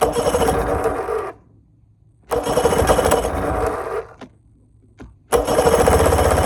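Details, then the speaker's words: Bass boat outboard still leaking fuel: short runs with long gaps, rough uneven firing and lumpy beat, sounding like it's running on one cylinder; owner fears it's damaged. "Okay, it sounds like it's running one cylinder. That's not good."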